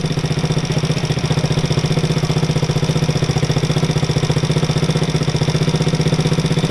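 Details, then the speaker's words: Coleman CT200U mini bike with a swapped-in 110cc ATV engine that had sat a long time: the single thumps evenly at about three beats a second, steady and unbroken; normal idle. "She idles and runs nice."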